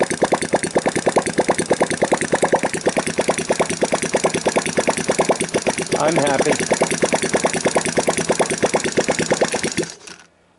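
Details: Sunl 110cc ATV single, after fixing an intake manifold leak that caused hard starting, run with a jump pack and portable CDI: crisp evenly spaced beats about five per second for ten seconds; healthy idle.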